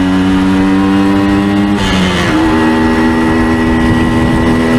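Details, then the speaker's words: 1975 Suzuki TS125 two-stroke: crisp buzz climbing smoothly as throttle opens, revs clean through the RPM range, mechanically quiet, no rattles or vibrations; likely still burning off excess oil. "nice you rev that clean all through the RPM range awesome yeah give be a little walk around here with it too you can hear the engine is mechanically quiet no rattles VI ations nothing like"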